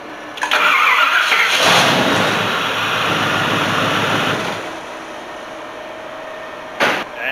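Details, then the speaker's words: Ford 460 V8 dually with new cheap eBay high-torque mini starter, first hot test at about 180 degrees: short brisk one-second crank, catches and settles to steady idle, starter not straining; normal hot start. "as you can see it didn't have any problem starting it i really liked the way it sounded it definitely didn't sound like it was straining at all"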